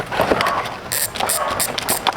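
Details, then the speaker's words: Speed 1 Soldier 12-speed, 6-pole bicycle hub spun by hand in a bike shop: quick bursts of sharp, fairly loud ticking as the wheel spins and coasts, somewhat noisy. Normal freehub ratchet clicking. "So, pakinggan natin kung ano yung tunog niya ng 6 poles na yan. Ayan. Wait lang. Ayan. So, medyo maingay lang ha."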